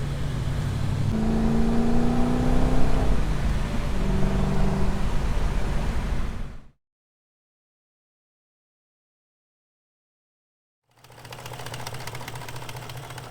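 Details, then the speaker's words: BMW 540i V8, freshly installed engine, cats removed: light regular metallic rattle over revving, first suspected chain slap; actually VANOS solenoid nuts under the valve cover left untorqued during the install. "Okay, so apparently in our speedy haste to get the engine in the car a couple of months ago, I forgot to torque the idler."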